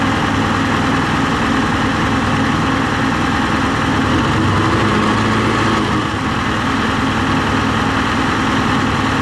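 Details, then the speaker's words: John Deere 245G excavator, first start after the DPF was reinstalled and a tune reportedly turned off the EGR and emissions: a steady low diesel rumble at idle with an even rhythm and no knocks or misses. Normal idle. "It's all turned off from my understanding, so let's fire it up. This will be the first start."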